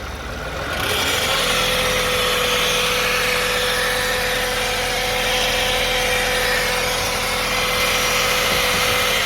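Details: 2009 Toyota Sienna FWD idling in park after a transmission drain and fill. A steady mid-pitched buzzing whine holds constant, suspected transmission pump, torque converter or bearings. The flex plate is thought okay; cause not confirmed.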